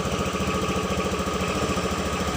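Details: 2014 Honda Beat fuel-injected scooter after repairing broken charging-coil wiring that drained the battery and made it stumble and die on throttle: small single-cylinder putters at a quick even beat, no misses; normal stable idle.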